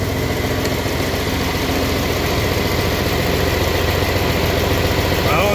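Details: Even, steady diesel idle with a smooth low rumble and no knocks or strain under hydraulic load, from a 4010 tractor revived after not running for many years; hydraulic pump sounds fine, normal idle.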